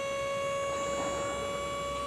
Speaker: boom you hear the pump start bearing down that means we are there